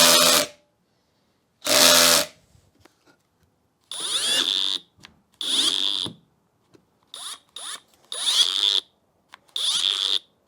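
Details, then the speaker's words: Harbor Freight Hercules drill: short high-pitched bursts that stop dead without ratcheting click; clutch releasing at set torque, normal clutch cut-out. "if it's making that sound and cutting out, the clutch is doing its job."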